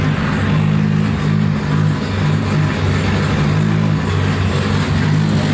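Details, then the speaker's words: Nissan S14 240SX drift car, freshly rebuilt engine with tune and only a compression change, first runs after rebuild, running slightly lean: steady smooth even idle, no knocks or ticks, oil pressure 70–75 psi at idle, throttle response great; normal idle. "that thing sounds good oil pressure chilling at 70 75 psi at idle response throttle response is great"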